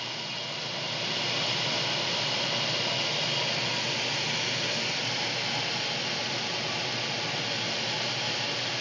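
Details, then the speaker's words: AC air handler blower after the capacitor was tested, cooling on via the Nest thermostat: steady even rush of air with no rattle, tick or pitch wobble; blower fan running normally after service. "All right, I've turned on the cooling, and I'm waiting for the fan to turn on. I can hear it churning away."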